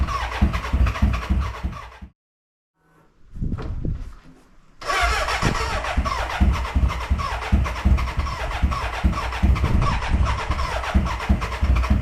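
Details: BMW K100 café racer first start after rewiring, tank newly fitted and fuelled: uneven cranking chuffs about three a second with brief catches that never run on, a cranking no-start; owner suspects the battery died and will recharge.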